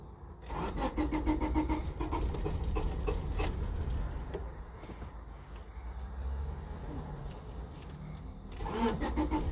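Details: 1996 Honda Civic, won't start once cooled down after a long drive: keys jangle, starter cranks repeatedly in long bursts without catching; later starts with light throttle pressed. Cause suspected, not confirmed.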